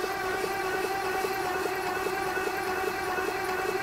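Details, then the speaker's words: 1959 Edsel Corsair Ford V8, parked 40+ years, spark plugs out, oil squirted in cylinders: steady starter whir with even compression pulses about two per second; turns over but never catches, compression felt at plug holes. "I got compression on my side. - All right, good. Well, if we got half the compression, we're fine."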